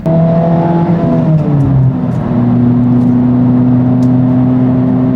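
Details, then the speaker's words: Honda Civic Type R (FL5) driving after a DIY transmission fluid change: revs drop cleanly through shifts and settle into a steady pull, no grind or clunk; owner thinks the fluid has warmed up, shifts smooth, normal gear shifting. "Shifts are pretty smooth, dude. I think the transmission fluid warmed up."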